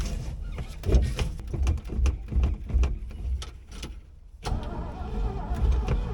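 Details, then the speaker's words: 1970s Chevrolet C-10 Custom V8 sat 30 years, after cleaning clogged carburettor and main jet, fuel poured down carb: uneven firing settles into lumpy low rumble, keeps running; not idling well, idle may need turning up, smoke from headers. "Yeah! This thing's running. See if it will idle. Let's see how easy it starts up."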